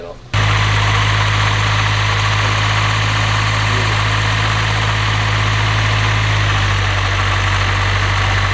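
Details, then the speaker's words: Nissan S15 Silvia with a fresh VVL SR engine build, started again before reaching operating temperature. It catches straight away and settles into a smooth, even idle with a steady low hum; the earlier oil spitting came from a missing dipstick. "it sounds so good it's nice and quiet everything's good i'm so happy that's really throaty for an sr"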